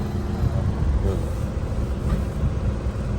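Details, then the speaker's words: Nissan Almera, petrol/gas dual-fuel, after no-start repair and scan-tool relearn, codes cleared: steady even low idle hum with A/C on, idle-up raising about 100 rpm; normal. "นี่นะครับเปิดแอร์นะฮะตัวเดินรอบช่วยรอบขึ้นมาประมาณ100รอบนะครับ"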